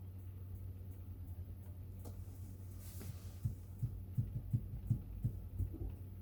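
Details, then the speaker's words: Motorhome fridge running on gas: a soft whoomph as the igniter lights the burner, then light even ticking about three per second over a low hum; normal ignition, and ticking after it has been running suggests the gas has run out. "there it goes. Yeah, do you hear it go boom? Yeah, I could hear it sort of ticking away."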